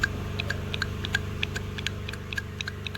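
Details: 2015 Nissan Altima 2.5 with P0014, P0300 and rough idle: a replacement valve timing solenoid bench-tested with power gives crisp regular clicks, about three a second, over a low hum, switching normally, while the original did nothing.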